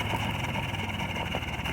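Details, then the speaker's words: 1980 Buick Regal Turbo Sport Coupe after full restoration, idling outdoors in snow: uneven, lumpy idle with a wavering low beat over a steady drone, loading up with fuel after being started and shut off about 50 times. Rough idle from fuel loading up. "You can hear, boy, she's loading up. It's been started and shut off about 50 times."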